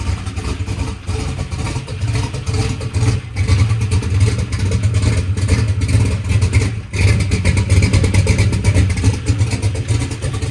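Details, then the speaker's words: Drag race car V8 after a huge backfire and locked-up engine with a missing flex-plate tooth; restarted, revs lumpy and loud then settles with no knock or clatter; engine running normally, flex plate and stator to be replaced. "yeah okay well it starts and runs right now"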